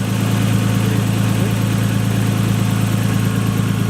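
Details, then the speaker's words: Nissan Skyline just fitted with a replacement starter, with a known vacuum leak: a loud, uneven low idle pulsing three or four times a second; rough idle, and the owners question whether the blow-off valve is working. "Yeah, still has a vacuum leak. It started fast. It's working."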